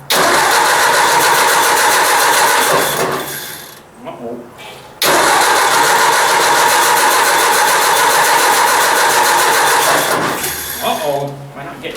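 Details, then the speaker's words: Ford 800 tractor after points cleaning and adjustment, cold at about 5°C: steady starter cranking at about 3.5 turns per second in two long tries, never catching. The owner suspects a fuel or carburetor problem. "let me try again it's mysterious i just quit i think the carburetor needs gone through getting fuel"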